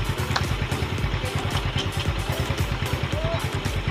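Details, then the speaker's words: Yamaha Mio Sporty after full CVT upgrade (JBT 1000 flat spring, Sun 1000, JBT pulley, RS8 lining, 8-9 g rollers) replacing badly worn stock CVT: steady low single-cylinder thump, no belt squeal or rattle; very quiet, healthy CVT, lining still bedding in. "Wow, tahimik na tahimik. Tahimik na tahimik ang JBT RS8 Sun set."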